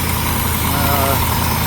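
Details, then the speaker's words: 1989 Chevy 3500 dually, started up: rough, raspy idle with a harsh hiss over the engine note; exhaust leak from a cracked exhaust manifold. "that is absolutely ridiculous uh definitely uh have a crack manifold right here"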